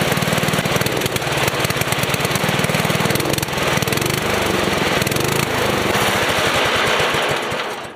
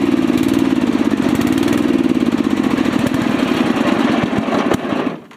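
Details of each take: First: Small engine after rebuild with new carburetor O-ring: even chatter picks up cleanly on throttle without stumbling after adjustment that stopped it dying when revved. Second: Rebuilt small single-cylinder engine chugs unevenly, beat wavering, then sputters and dies within a second; ran out of fuel.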